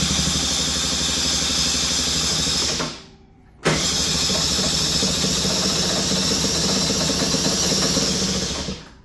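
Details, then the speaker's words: Cold two-stroke scooter, choke deliberately left off to mimic a failed auto-choke, cranked with throttle: buzzes and flutters, stumbles, cuts out and never catches; cold start failure from inoperative choke. "it's just kind of wanting to start but not really no"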